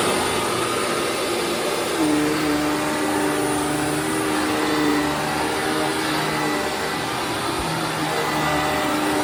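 Smooth, even motor whine with a steady pitch and no grinding or rattle from the brush roll; it runs normally.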